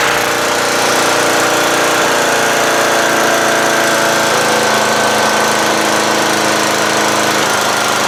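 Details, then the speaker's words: Murray lawn tractor, 12.5HP Briggs flathead single, idling after stalling once and restarting while warming up: steady, even run held high with no dip or hunting; idle set a little fast on purpose to avoid stalling, could be lowered. "that Idol is a little fast but I want to make sure it doesn't stall you know I want to run a little bit I could lower it a little"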